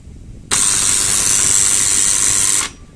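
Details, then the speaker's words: Old Siemens contactor energized at 220 V gives a loud, harsh, steady buzz ("zınnn") that stops when power drops: the armature is not fully pulling in, likely from dust or dirt between the contacts. "Daha doğrusu içerisinden böyle bir Zoom diye bir ses geliyor ve hani tam kontaktör çekmiyormuş havası veriyorsa O kontaktörü mümkün olduğu kadar mecbur değilseniz kullanmayın arkadaşlar"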